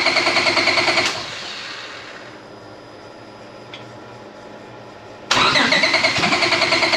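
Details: Honda EG Civic drag car after J37-to-J35 engine and transmission swap, not running right: rhythmic starter cranking at about three beats a second, stopping, then cranking again without catching; extended, slow no-start crank.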